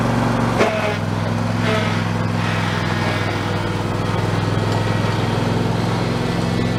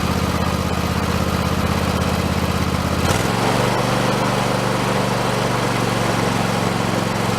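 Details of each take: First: Husqvarna YTH2454 mower with 24 hp Intek V-twin, after a carburettor rebuild with a kit: steady, even drone with a constant idle, no misses or surging; normal running. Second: Husqvarna YTH2454 riding mower just after carburetor rebuild with kit: runs steadily, then the beat suddenly drops and sags around three seconds in; owner thinks it was running out of gas, fuel starvation.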